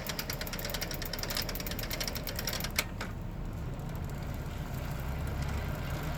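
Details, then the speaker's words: Shimano Nexus 8 / Inter 8 internal gear hub on a heavy Trio cargo bike, about 1000 km: backpedaling gives fast, even ticking for about three seconds, fading out; normal gearing/pawl ratchet noise from a healthy hub. "well you're not gonna have any drag like that you'll hear the gearing if I go backwards you can hear the gears"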